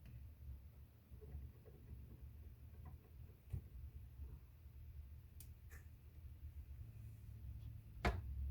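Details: Panasonic NR-BB53 (NR-BB53PV3WA) new refrigerator: irregular low croaking clicks, roughly two a second, over a quiet fridge hum, sounding like a frog living inside; intermittent noise, cause not yet known.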